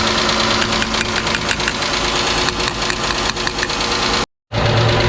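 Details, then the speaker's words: Chrysler 300 with a 3.5L junkyard swap engine: rough idle with sharp, regular ticking. The owner thinks it is not a knock and suspects a stuck injector on a cylinder not firing, but this is not confirmed. "Well, guys, I don't think that's a knock. I think it sounds the same as when her car had a stuck injector, just not firing off."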